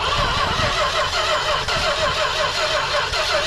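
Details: Industrial 440 engine, being started with gasoline poured in. Rhythmic starter churning at roughly two beats a second with no catch or firing: cranks but won't start. Cause suspected, not confirmed.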